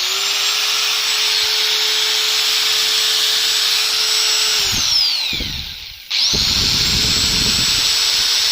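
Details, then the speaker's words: Angle grinder after cleaning and re-greasing: high steady no-load whine, spins down, restarts and holds speed as oil distributes; even clean running with no grinding. "now we just run it, listen, the engine begins to accelerate, that is, the oil is distributed to the right places"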